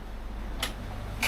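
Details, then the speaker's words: Lagoon 51 catamaran on an Atlantic crossing in light wind, 11 knots true, 4–6.5 knots boat speed, with one reef in the main: sharp squeaks as the sail empties and refills on each wave. "So whenever you see the boat goes like this and dumb, you get this squeak because the sail goes, you know, empty and then gets back the power."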